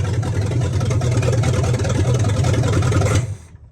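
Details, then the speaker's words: Abandoned 1976/77 Canadian military Chevy gas 1-ton truck, first start after a starter swap, with a jigged-up fuel system and the torque converter unhooked: the V8 rumbles at a steady, slightly uneven idle, then shuts off abruptly. "We for sure had it running. It maintained an idle."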